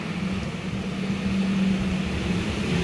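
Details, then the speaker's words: Suzuki SX4 S-Cross automatic, brought in for heavy, sluggish, misfiring acceleration with a melted ignition coil, after cleaning and part replacement, left idling unrevved so the ECU relearns sensors: steady, even, very smooth idle hum, no rough sounds; normal idle. "suara mesinnya terdengar halus halus sekali ya sobat ya tidak ada suara-suara kasar dan lancar aman semuanya"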